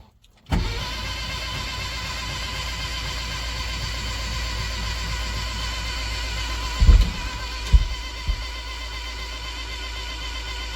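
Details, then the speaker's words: Engine cranking test after a part was changed: the starter catches, then holds a steady whirring drone as the engine spins over evenly, with a few clunks; the engine is turning. Oil leaked afterward from a gasket needing replacement. "That doesn't sound like the engine's turning. There we go. It is turning."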